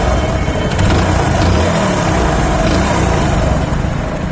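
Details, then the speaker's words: Hero HF Deluxe motorcycle with ticking even after a timing chain change, after tappet adjustment: steady, even single-cylinder idle with no ticking from the top end, normal idle. "दोस्त पूरा आवाज एकदम सही है। नीरव गया। किसी प्रकार का कोई टिक-टिक की आवाज़ नहीं। कोई आवाज नहीं है।"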